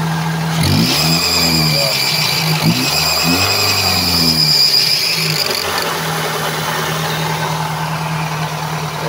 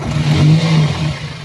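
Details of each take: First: Toyota Altis idling and revving with a steady high-pitched fan belt squeal, loudest at revs; belt already replaced, the noise comes from a weak tensioner that no longer holds tension. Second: Toyota Altis with noisy fan belt and worn tensioner: after replacing the belt, the engine revs up and settles with an even low hum, no belt squeal.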